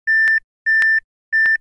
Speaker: Three shot भी जनरेट होती है रैम की वजह से, तब जब भी आप रैम लगाए तो चेक करके लगाए कि उसमें कोई डिफेक्ट फॉल्ट नहीं है।